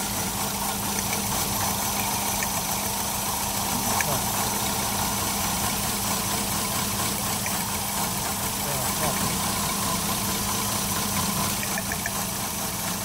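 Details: 2007 Toyota Yaris with multiple misfires and a check engine light: rough, lumpy idle with a steady low drone, a cylinder missing. Coil packs are tested by unplugging each one, and the engine does not change or stall, so a coil fault is suspected.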